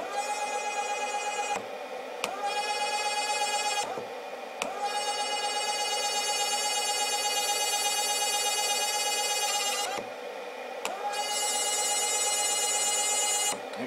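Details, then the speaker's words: Step-by-stepper circuit driving a stepper motor at about 813 Hz, near zero volts: piercing steady squeal over a humming motor, cutting in and out; noise comes from the motor, not the transistor, exact cause unknown. "i don't really know where that noise is coming from it's actually coming from the motor not the transistor some reason it wants to squeal"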